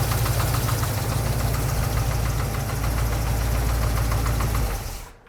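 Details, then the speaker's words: Rebuilt 454 big-block Chevy running in a C10 squarebody: steady big-block idle with a quick light tapping three or four times a second over the rumble; source of the tap undetermined. "If you want a sweet deal on a 454 that taps maybe a little bit, hit us up."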